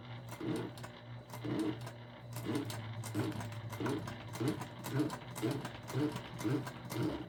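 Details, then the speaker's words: Sewing machine top-stitching a jelly vinyl travel pouch slowly, about one stitch a second, each with a sticky scuffing drag. The tacky jelly vinyl is rubbing against the metal, likely worsened by sticky, humid weather. "that noise you hear is just, it's the jelly sort of rubbing up against the metal. It's pretty sticky and humid here, so I think it's a little bit of that."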